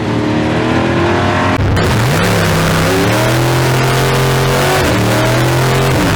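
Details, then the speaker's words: '57 drag car with big-block V8, new tunnel ram, PTC 3800 converter, at track: engine flares fast and holds high revs while speed lags, then shifts; ran 7.69 at 85.96 mph, unchanged; owner thinks it's blowing through the converter. "i think it's blowing through the converter it's quite possible blowing through it"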